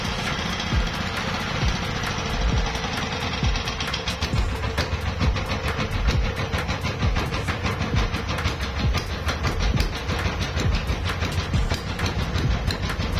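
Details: CD170 single-cylinder diesel engine that won't start when cold: loud chugging with rapid clattering beats that never settle into an even rhythm; it runs but unsteadily, and the mechanic suspects the injector plunger and plans to adjust the fuel line.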